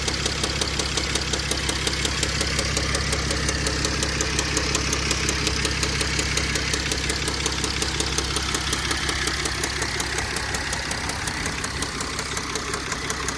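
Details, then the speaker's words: 2005 Mercedes CLS 320 CDI diesel at idle: hard, regular bottom-end knocking about three per second, steady throughout; owner suspects a rod bearing, unconfirmed. "Why am I getting these knocks on the engine? Like, I think it's the rod bearing. Is that what it's called? The rod bearings."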